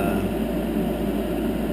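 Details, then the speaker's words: 10-year-old Heil gas furnace after replacing the noisy draft inducer motor with a new one: steady, even low hum, no rattle, scrape or bearing whine, much quieter; normal inducer operation. "okay let's uh fire this thing up see what it sounds like yeah much much much much better it's quiet it's quiet"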